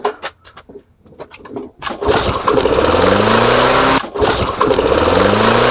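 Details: Two-stroke engine with old Chinese spark plugs, primed and pulled about 15 times: fires and revs keep climbing without settling, runaway overspeed; idle plate later bent back toward the governor as an attempted fix.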